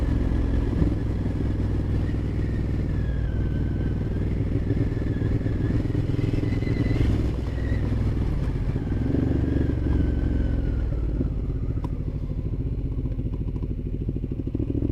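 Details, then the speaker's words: 2012 Ducati Diavel 1200 with wrapped exhaust and opened exhaust valve, riding under 20 mph: loose, uneven clatter over the twin's lumpy exhaust, varying with throttle; owner says it is the loose chain. "that clatter, I don't know if you can hear it, that's the chain that's loose."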